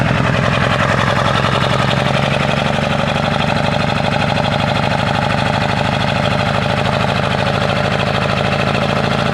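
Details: 1997 Ford F-250 XL 7.3L PowerStroke turbo diesel, cold start at 65 degrees: heavy, uneven clatter with a lumpy, shaking beat at idle that vibrates the truck. The rough running is attributed to bad injectors.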